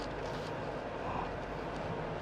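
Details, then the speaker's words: Renault Samsung SM5 Platinum 2.0 SE Plus (2013 model year, registered December 2012, about 90,000 km) on a test drive. Smooth, steady road rumble with no knocks, clunks or tyre noise: suspension and tyres quiet and normal. "오 하체도 잡수이 안 나죠? 자, 타이어 소리 안 나고."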